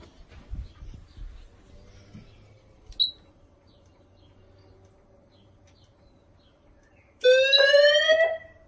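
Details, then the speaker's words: Monthly test of a household fire alarm system, speakers and outdoor sounder tested after call point check: quiet room, then a loud pulsing electronic alarm tone for about a second; sounder works normally. "Okay, and now we'll test the speakers, and you should hear the outdoor sounder go off as well, which is just up here."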